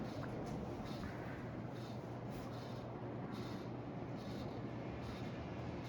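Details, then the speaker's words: Hampton Bay Gazebo Plus 52-inch ceiling fan, early-2000s, on high speed and spinning faster than usual: steady rushing hum with a faint hiss pulsing about once a second; owner unsure of the cause and suspects it may need oil. "you know it's definitely going a lot faster than high speed like a lot faster i wonder what's been causing it to make that noise"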